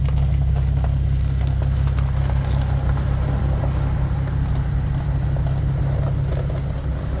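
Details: 2015 Nissan 370Z after front-end collision and frame repair, running after its cold start: low, even rumble holding steady, no ticking, knocking or grinding; running good.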